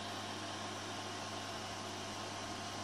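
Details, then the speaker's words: Rostock Max v2 3D printer after print, hot end cooling from 52 °C, bed 62 °C: steady even fan hiss with faint low hum, no ticking or rattle; normal cooling fan. "So that peak fan seems to do a really good job of dissipating heat up there."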